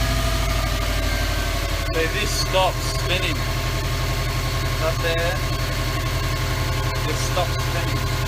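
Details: 2003 Subaru WRX idling after the AC belt tensioner pulley/bracket was replaced and the belt tightened; the belt had squeaked with the AC on after a regas. Steady, even idle with a smooth low rumble and no belt squeal or chirp: normal idle.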